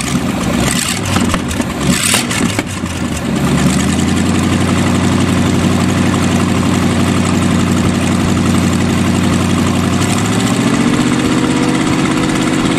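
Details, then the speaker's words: Used Chevy 350 small-block V8 on an engine stand, after work on number three: starts after brief cranking and revving, settles into a smooth idle firing on all eight; smokes a little. "better a lot better it actually sound like it's hitting on all eight does smoke a little bit"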